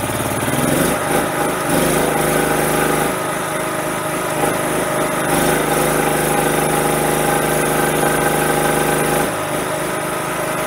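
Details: Propane-converted generator with a newly installed tri-fuel carburetor holds a steady, even drone with slight dips; it runs on propane, but the diaphragm does not shut the propane off and gas can still be heard flowing.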